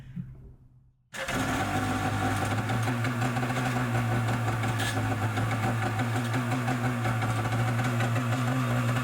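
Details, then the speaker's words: Yamaha Superjet stand-up jet ski, first start after fueling: fires instantly, but harsh metallic grinding rides over the idle; starter bendix suspected of dragging on the flywheel. "so that's what happened we started it up it started right away but there's like this noise not a good sound so shut it off"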